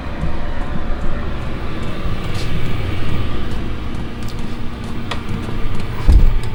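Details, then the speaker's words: Chinese diesel air heater fitted with an intake silencer, running turned down to 1.8 Hz: low even rumble with a steady hum and faint dripping-like sound, no knocks; running normally and quietly. "that's down to 1.8 HZ which is what I've got it on most of the time once my garage is warmed up what you can hear is that but that don't bother me"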